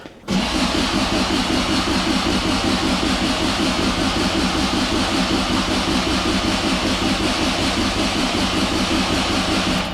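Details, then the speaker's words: 1972 Toyota Celica, 18RG twin-cam, twin Mikuni 40PHH carbs just rebuilt with new throttle shafts and butterflies: fast, even starter churn for ten seconds that never catches. This is extended cranking while the mechanical fuel pump refills the carb bowls. "so we're going to have to crank on it for a minute, get the gas to come forward, and hopefully we'll get the thing to fire up."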